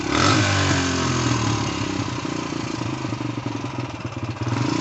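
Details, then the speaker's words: 2004 Suzuki DR-Z125L dirt bike after cleaning the carb jets with wire, kick-started: a brief rev, then small single pops at about four per second settling into a steady idle; runs without smoke, rusty chain squeaks. "all right it's idling let's pull this up pick the bike up o something squeaky think that Rusty Chain's a little squeaky well it runs doesn't smoke"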